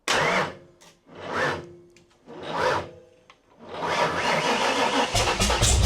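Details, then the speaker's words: Foxbody with 402ci stroker Windsor V8, Vortech T-1 supercharger, big custom HR cam, TFS R heads, long tube headers, Holley EFI, first start: three slow cranking swells, then catches into loud choppy lumpy idle, no leaks; normal first start. "The sound meter on the camera was pegged the whole time, so I don't know how it's gonna work."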